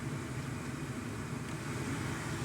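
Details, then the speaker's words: 1998 Chevy Silverado (GMT400) just after replacing the AC blower motor resistor, second fan setting: a smooth, even rush of air with no ticking or rubbing. It is audibly faster than the first setting, so the blower runs normally. "Yep, I don't know if you can hear it on your end, but I can definitely hear the increase in speed on this one. I can feel it too."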